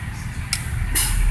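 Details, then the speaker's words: 1994 Honda Civic VX hatchback with new compressor and new AC system, after repairing the AC head unit control board: two sharp relay clicks, then engine RPM dips and settles under load as the compressor engages normally, blowing cold air. "you hear that click that's the AC relay you hear the RPMs drop and we're getting cold air out of here"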